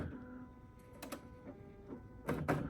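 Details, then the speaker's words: NeXT Color BubbleJet BJC 800 SCSI printer: quiet motor whirs with short bursts of mechanical clatter; normal automatic head-cleaning cycle. "it's cleaning automatically."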